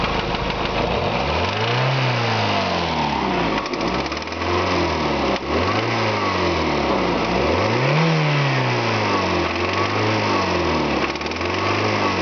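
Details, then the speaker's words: 1987 JDM Toyota Celica 3S-GE, 300,000 km, 20W50 oil with STP: fast loud top-end ticking over uneven idle with revs; shim clearances, valve springs, compression fine; owner suspects valve seat, quieter after retarding advanced ignition timing; unconfirmed. "we got an unusual engine noise starts - down 300,000 kilometers it's coming from the top end"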